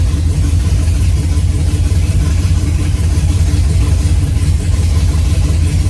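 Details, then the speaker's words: 5th-gen Camaro V8 on its first start-up after broken-piston repair, DOD/AFM delete and Texas Speed 224R cam, no AC belt because the compressor is gone: deep, steady rumble with a slightly lumpy idle and no knocks or ticks; running fine. "the cars seems to be running pretty okay and it doesn't have an AC belt because the compressor is completely gone"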